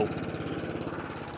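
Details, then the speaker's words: Atco Balmoral 14SK with Kawasaki FJ100D engine, after carburetor clean for will-only-run-on-choke fault: quick even beat, steady mid-pitched hum, no skips or stumbles; running cleanly. "If you look after them, these Kawazakis, they just, oh man, they just run absolutely beautifully every single time. Not missing a beat."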